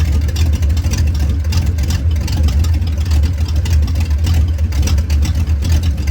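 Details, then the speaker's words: 1989 Ford Mustang GT Fox body V8 with catalytic converters removed, shorty headers into about 2 ft pipes, open exhaust: loud deep uneven burble with rough lopey pulse and no muffling. "So like I showed in an earlier video, I have the cats out of this thing, so it's just shorty headers, and then to the pipes that go right before the catalytic converters, which are about 2 feet long. So this is what it sounds like when it's got open pipes on it."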